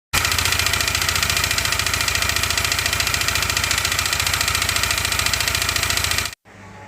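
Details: Yamaha NMAX scooter: rough, harsh metallic clatter pulsing about three and a half times a second over idle; running with dried-out, low oil has scored the cylinder block.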